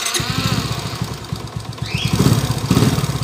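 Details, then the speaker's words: 2017 Suzuki Smash 115 single-cylinder motorcycle: rough, lumpy idle with a shaking beat and excessive vibration, internal parts clashing; engine to be torn down, timing chain suspected, crankshaft found bent out of true. "may nagkakalaban sa loob oh masyadong ma- vibrate na boss an y yung andar niya"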